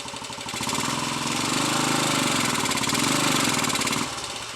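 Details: Royal Enfield 250 five-speed single on the stand, in third gear: rough clattering beat about three or four a second over the exhaust; third gear badly worn, causing gear selection problems, while first gear pulls fine.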